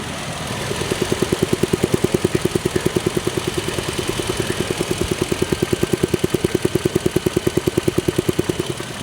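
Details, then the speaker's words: 2012 Toyota Tacoma just after replacing the EVAP purge valve for a check engine light: even, steady idle pulses at constant rate with no misses, ticks or hunting; smooth, normal idle. "So it's kicked on and running now."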